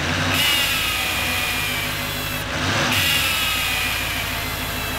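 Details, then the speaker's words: 2018 GMC Sierra 3500 HD salvage rebuild, running. A high thin whistle rises and fades in two surges as exhaust escapes past the EGR pipe flange gasket; the flange may be bent. The fix is to replace the pipe between the intake and the EGR. "heard the word whistle noise yeah that's because of the air go through the gasket and whenever there's air builds out and it pushes out wobbles like so and makes that noise"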